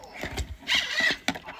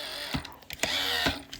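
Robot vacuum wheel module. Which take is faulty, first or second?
first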